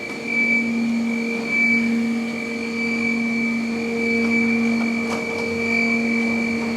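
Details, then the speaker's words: Flex CNC mill chip auger carrying away drilling chips after Tungaloy DrillMeister drilling 2" UNC holes in plate steel: steady even motor hum, constant mid and high tone, no knocks or grinding; normal. "that noise you guys hear is the augur all those drilling chips down there"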